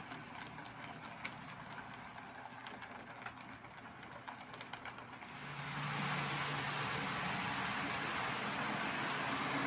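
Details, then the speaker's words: Custom Tyco Chattanooga model locomotive with scratch-built tender drive (cordless motor, flywheels, Athearn gears, brass chassis), running after tune-up for slow running; light even ticking about four per second, then smooth steady hum; normal running. "it's running just as well in reverse so there it is my custom taiko chattanooga all tuned up and ready to run again"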